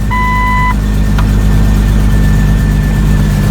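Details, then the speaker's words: Jeep Cherokee XJ 4.0L with a battery reading 12.3 V, after a no-start the previous night: chime, quick catch, smooth even idle; strong start, alternator to be checked for around 14 V. "uh see if we're getting around 14. oh I got a strong start"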